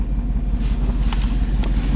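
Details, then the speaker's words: Chevy Silverado 3500 dually dump truck, 6.0L Vortec gas V8, about 20 years old, 40k miles, after aftermarket plugs and injectors: idle with uneven, loping beat and recurring stumble; scanner counts cylinders one and eight, but it is a single-cylinder misfire on number one. "well no it does not see the pants just feels like a single cylinder misfire"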